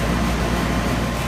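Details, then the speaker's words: Older AC condenser unit with a recently installed new air handler, on a no-cool call: compressor restarts and runs with a smooth, steady low hum from compressor and fan, no knocks or rattles; the manifold then shows about 80–85 psi, with a 90° house. "ng to fire it up and see what happens and now we got a compressor"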